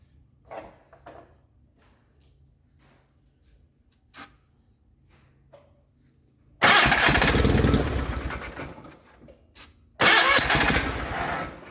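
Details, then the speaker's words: 1989 John Deere 420 garden tractor, fuel pump lines swapped, helped with starting fluid; two loud cranking bursts that catch briefly and die, fuel pump bad and not delivering fuel. "when i last worked on it i discovered that the fuel pump is bad"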